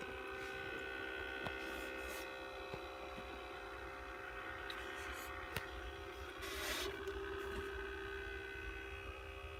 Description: Beurer humidifier lb44 developed a loud buzzing and grinding noise